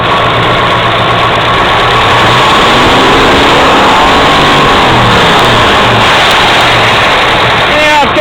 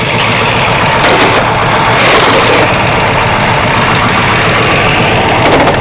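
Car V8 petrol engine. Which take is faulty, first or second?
first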